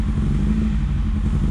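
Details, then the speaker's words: VW Scirocco MK2 ABF engine conversion with rebuilt Yamaha R1 carbs, just after first start; lumpy uneven idle with wavering low throb, idle not yet set, cause unconfirmed; uneven idle. "So I think I have to set the idle. It's not very happy somewhere."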